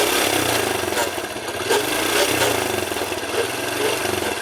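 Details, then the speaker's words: Hero Honda CD Deluxe motorcycle, stationary in first gear: harsh rasping growl from the gearbox over the engine beat; noise occurs in first and second gear, and persisted after chain sprocket replacement. "Hero ഹോണ്ടയുടെ സീരിയ deluxe എന്ന ബൈക്കാണ് first ഗിയറും second ഗിയറും ഓടിക്കുമ്പോൾ gear ബോക്സിൽ നിന്നും നല്ല രീതിയിൽ ഇരമ്പൽ വരുന്നുണ്ട്"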